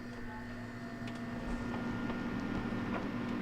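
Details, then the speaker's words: Hotpoint HTS16HBMFRWW top-freezer refrigerator after replacing the WR60X10045 evaporator fan motor for a freezer not cooling: steady low hum with a smooth even whir, no rubbing, airflow restored; normal fan running. "so I can hear the fan blowing now we got air flow coming out here"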